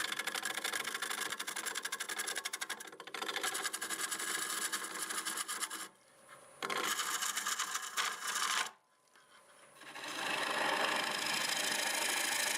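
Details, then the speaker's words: Rapid ticking, about four a second, as the tool scrapes a spinning olive wood bowl on the lathe; the tool is catching cracks that were filled on the outside. "that's kind of the sounds of a crack yeah a lot of cracks same ones I filled on the outside I could hear it ticking there"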